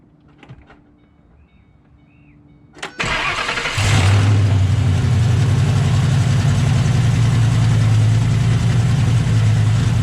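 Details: 2008 Ford Mustang GT V8: cranks, catches and settles into uneven, stumbling idle; passenger-side misfire that started while reversing, injectors replaced, finally traced to cracked cold air intake drawing air near PCV tube.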